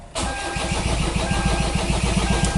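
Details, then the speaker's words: 2010 Kia Sorento 2.2 diesel cranks with a steady rhythmic churn, about seven pulses a second, and does not catch; intermittent hard start/crank-no-start with misfire, starts only with starting fluid, crank sensor ruled out. "all right so you're just getting like a long crank when you trying to start the vehicle so let's see what we can do to diagnosis vehicle right"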